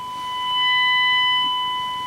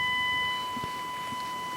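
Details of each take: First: Rexina medium-wave AM radio receiving a DDS-modulated 1 kHz test tone: steady tone with harsh buzzy overtones as radio nears the transmitter; audio distorts on strong signal, owner suspects IF stage AGC not reducing gain enough. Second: Rexina medium-wave radio fed a 1 kHz tone from a DDS modulator, with the signal source held far away (weak signal): steady, pure tone without buzz or rasp; clean reception, distortion only appears once the signal gets strong.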